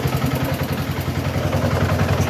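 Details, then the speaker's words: Manual transmission after a cluster gear repair, idling in third gear, high range: steady low engine rumble with even pulsing and no gear whine or clatter; the earlier noise is gone and the gearbox is quiet. "right now there's no noise first year no more noise like there was in the last year"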